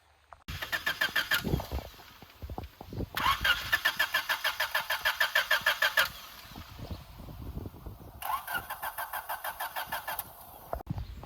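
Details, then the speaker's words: Abandoned Honda EF9 Civic being restored, cranking with grease spray. Three bursts of steady starter cranking at about three turns a second, never catches. No fuel; the pump could not be heard, and after two relays the fuel pump was found dead. "So it's definitely not getting fuel, so I wonder if it might be the fuel pump relay, or it might be the fuel pump might have buggered out, because I can't really hear it."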